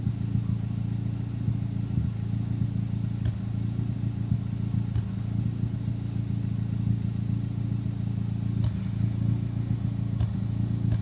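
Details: Turbocharged engine fitted with larger SR20 injectors, at warm idle: steady idle with a sharp exhaust cough every few seconds at irregular moments; random misfire, owner suspects the injectors.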